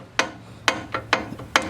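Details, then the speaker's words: Mustang steering: four sharp clunks about every half second as the wheel is worked back and forth; tie rod ends first suspected, but the tie rod end has only a little wiggle and is fine, the problem lies elsewhere. "Good news is the tie rod end itself is fine. I mean, it's got a little wiggle to it. That's not the big deal."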